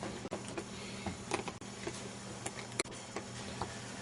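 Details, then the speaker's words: FrSky Futaba 2.4GHz transmitter module in binding mode on a test bench; the voltage meter needle fluctuates so hard it makes faint, uneven ticks every quarter to half second; module fault. "See the needle fluctuating, bouncing. In fact, it's bouncing so hard you can hear it tapping."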